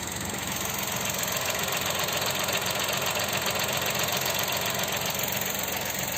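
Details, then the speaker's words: Chevrolet Onix Plus idling with brake pedal pressed: smooth idle with fine fast ticking about four per second; fuel injectors clicking, judged normal. "esse barulhinho aqui a sua ligação zinha são dos bicos tira o pé oi ok ok normal"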